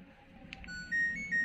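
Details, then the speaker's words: LG Smart Inverter washing machine control module, no display: on power button press the buzzer sounds only thin, faint beeps; the 12 V supply measures sagging at 9.8 V instead of 12 V. "Selanjutnya saya coba tekan tombol power-nya. Nah, ini di sini basernya hidup tapi suaranya sangat lemah."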